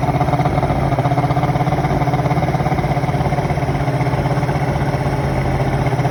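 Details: 1993 Evinrude 150 Ocean Pro two-stroke outboard after fixing a major carburetor fuel leak, carbs now dry: low even burbling idle at steady pace, no misses or surging; normal idle.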